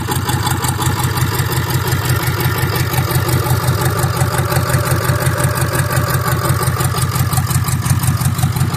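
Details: Ford 6.7 Powerstroke diesel just started after a return-side fuel test (pressure loss traced to the number three injector), being checked for leaks: steady, even idle clatter about three pulses a second with no misses or knocks; normal.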